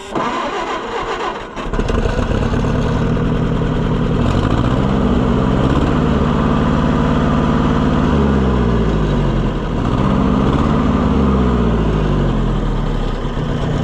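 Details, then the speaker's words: Oliver 550 tractor that wouldn't run, coil borrowed, still on old points: cranks and catches, runs with uneven loping beat and a sucking puff blowing back through the carburetor; suspected valve issue such as a bent push rod, unconfirmed. "See, you hear that sucking like it's blowing back through the carburetor. Almost like we've got a valve issue or something."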